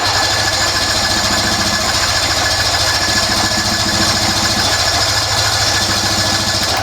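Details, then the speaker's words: Roughly 50-year-old vintage snowmobile, sitting in a barn since 2003: a ragged, uneven two-stroke putter with a buzzy top end that fires once then won't keep running. The owner suspects it is running on only one cylinder; it may later have lost spark. "It don't run. It don't, yeah, that part I do know, I suppose. That's what happens. But I wonder if it's because it's only on one cylinder."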